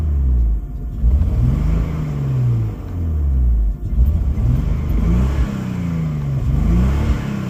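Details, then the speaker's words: Nissan Skyline R32 cold start and revs: deep rumbling revs with a rough, uneven chuffing edge from a known exhaust leak. "Again, there's a leak in the exhaust, so it sounds a little rough, but I kind of like it."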